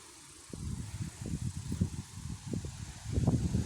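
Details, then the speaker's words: 125cc pit bike after fitting exhaust pipe: uneven sputtering with irregular pops and bangs, spitting fire from the pipe on throttle; backfiring, owner suspects the previously repaired ignition, unconfirmed. "бахает ветер поднялся и короче он блoкада газуешь огнем плюется из трубы"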